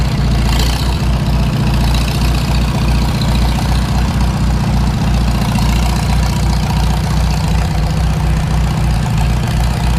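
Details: Farmall Super M tractor at idle before its engine rebuild: a dull, uneven knock taps a few times a second over the engine beat. It is an internal engine knock whose source has not yet been found.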